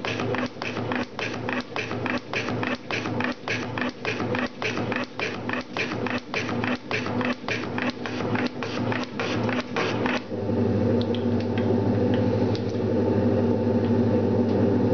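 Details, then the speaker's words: Metal shaper cutting with a carbide insert: regular strokes about 105 a minute, heavy strained thump each pass, then steady hum; machine labouring under heavy cut, stopped to avoid damage, insert did not break. "I'm gonna stop right here because we hear that the machine is having a little bit difficulties to cut it and I don't want to break my beautiful little toy"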